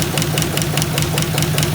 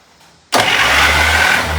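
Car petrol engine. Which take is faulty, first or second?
first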